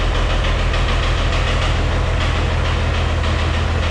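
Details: White 2-155 tractor diesel, idling after a restart: a steady low thump deep in the block at about two knocks a second. Blow-by, exhaust and oil pressure are normal. The internal cause is unknown and the engine is set for teardown.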